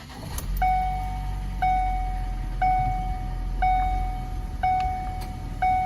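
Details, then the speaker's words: 2012 Ford Focus S 2.0L GDI, manual, 60,000 miles, after new Motorcraft iridium plugs, oil and serpentine belt: steady smooth low idle with no misfire, a one-per-second chime ringing over it; normal idle. "Running good, no misfire, belt's brand new, oil's brand new."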